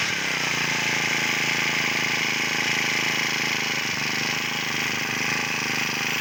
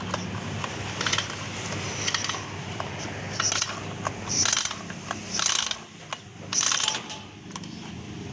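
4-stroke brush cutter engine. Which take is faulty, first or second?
second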